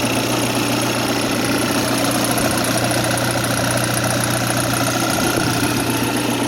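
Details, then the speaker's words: Cold VW Jetta diesel donor car, sat six months, idling after starting reluctantly on weak glow plugs: rough, uneven rattling clatter about two knocks a second, smoking a little when cold; turbo kicks in after a moment. "she doesn't like to start when the glow plugs don't work quite right but oh she burns she smokes a little bit when it's cold"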